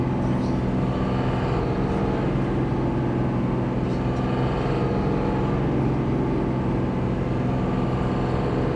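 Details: Cummins 5.9 diesel droning at moderate speed under light throttle, held in the 1,200-2,500 rpm zone, with a coarse fluttering rattle varying with engine speed and throttle; slight misfire at steady rpm, smooth under heavy throttle.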